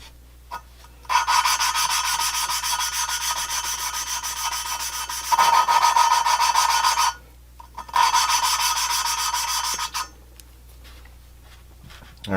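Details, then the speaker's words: GM 823 head (LS3/L92 6.2 aluminum) valve lapping with compound on new valve: dry rasping strokes in bursts, grit rubbing evenly without catch or chatter, sound changes as seat mates; valve seat lapped in. "Stick that guy back in. And you can hear that change in sound pretty well."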